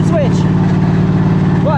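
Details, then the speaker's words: Craftsman GT3000 lawn tractor, starting on the key with jump box after replacing a melted, blown fuse from a shorted PTO safety bypass: catches and settles into steady, even idle, no misses or knocks. "Let's put a jump box on the battery and see if we can actually get this to start with the key. Ah, look at that!"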